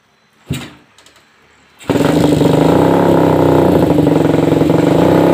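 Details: Suzuki Satria FU 150 with stock internals, after porting and new valve seals, previously slow to rev: after a short fumble it catches and revs steady with quick, even firing pulses and no tapping. Normal revving.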